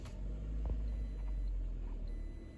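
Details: 2012 Toyota RAV4 four-cylinder after replacing whining, intermittently failing alternator and dead battery, belt checked on pulleys: steady low even idle rumble, no whine or belt chirp; no battery light, tester shows charging normal.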